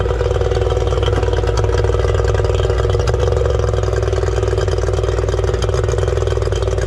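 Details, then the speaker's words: 1989 Yamaha 30hp two-stroke outboard after exhaust seal repair, started with the throttle linkage left unattached: steady, slightly uneven high idle that never changes with throttle; the linkage still needs reattaching. "Over the motor, but that started without the idle being hooked up, because I can see here inside the motor that I forgot to attach something."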